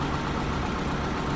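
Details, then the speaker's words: BMW E30, sitting 5+ years, just fired up after more cranking; intake boot still off, fluids and filters not yet checked. Short steady idle with even low rumble, no misfire or hunting; normal idle. "the freaking thing runs how the hell is that possible I guess this video is gonna be a lot quicker than I thought"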